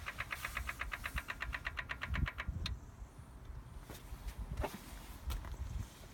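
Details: BMW M4 Competition Pack, cold, before ignition, starting when a door or boot is opened: fast even ticking about two per second for a few seconds, then stops with a few clunks; intermittent clicking, cause unknown.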